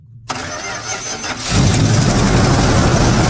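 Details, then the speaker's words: Abandoned farm-field truck V8 after hammering the starter to shift the armature: about a second of quick even cranking, then clean catch and strong steady idle. "There you go. The hitting fixes it."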